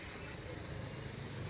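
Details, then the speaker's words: Grand petrol car after repair of water in spark plug wells from engine washing (misfire, P0300, blinking check light, vibration, backfiring, no pickup; water removed): low, even idle hum, now smooth and silent. "अब तो गाड़ी पर कहते हैं आपको मेरी यह बैंगन जो है अब आप देख सकते हो एकदम साइलेंट है"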